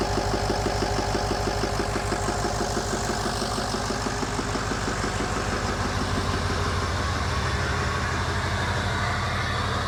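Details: 2008 Ford E350 diesel with a rebuilt engine on its first start, with no coolant or radiator fitted and IPR reading slightly high from air in the system: an even idle pulse of about three per second with no knocking or misses; it runs smoothly with oil pressure.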